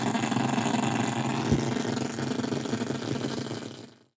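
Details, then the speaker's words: Walkman playing a cassette after belt replacement: harsh, gritty buzzing rasp with uneven pulsing flutter instead of clean audio. "Okay, hopefully this won't be too loud. Don't even know where the speaker's on. Let's try that. That does not sound right, does it?"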